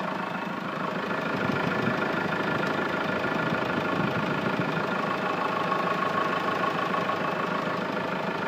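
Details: Hyundai Grand Starex at a steady diesel idle, with an abnormal, uneven tapping noise about twice a second coming from the engine. The cause is unclear.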